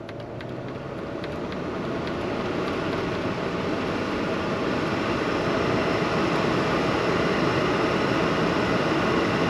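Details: 2012 Chevy Malibu, about 86,000 miles, engine warmed, heater blower on highest setting after blower motor resistor replacement: steady even rush of air that builds slightly then holds; fan running properly.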